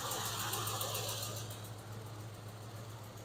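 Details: 1996 Ford F-150, recorded at exhaust while revved from under hood: steady drone with uneven lumpy pulse about four per second, no smoke; poor compression test, suspected dead cylinder misfire.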